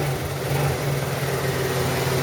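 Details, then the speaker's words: Roketa scooter after a new spark plug and carburetor adjustments, which had run rough once warm: steady, even idle with a smooth low hum and no knocks, misses or rattles; it is running healthy. "yeah it's running like a top"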